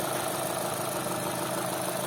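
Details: Chevrolet Cruze 1.8 Ecotec, checked for a noise at startup: steady, even idle hum with no ticking or knocking on top; head and block oil pressure read the same, showing good lubrication; normal idle.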